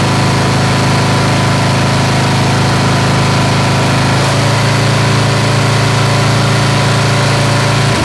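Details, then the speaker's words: Snapper SR-Series with a 10 HP Briggs & Stratton stored 10 years, on a modified aftermarket carburetor after fuel was added and the carb dialed in: steady, even thrum that settles slightly lower as it warms up; running well with no misses. "All right, so she's running good. All right, she's starting to wake up."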